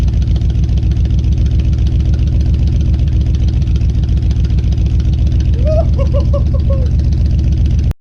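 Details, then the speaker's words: 1970 Ford F100 V8, sat about 15 years, after carburetor rebuild and new spark plugs: steady even idle with firm, regular pulse and no misses or knocks, runs well though smoking a lot, possibly needing rings. "She sounds good and runs really good now."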